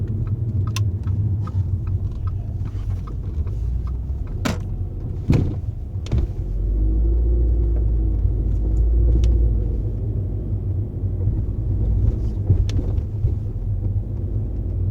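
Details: Audi A4 B8 fitted with Solowerks coilovers, driving: scattered dull clunks and thumps over low road rumble, coming from the front suspension. Cause suspected, not confirmed.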